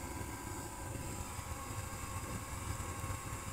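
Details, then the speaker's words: Waste oil hot water heater prototype burning with no visible flames, about 310–330 degrees and about 500 inside, water jacket not yet fitted. Low, steady, even roar with no popping or surging; burner running efficiently and normally. "Literally there are no flames, and that is the burn. You actually can hear it from here."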